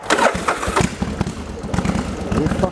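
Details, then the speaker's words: Yamaha Virago XV1100 V-twin with an occasional long-term cough and splutter on one cylinder, stator tested fine; after replacing the regulator rectifier it runs cleanly with an even lumpy beat, no coughs or misses, and accelerates well with the headlight on. "wow this is running nicely as you now change the regulator rectifier"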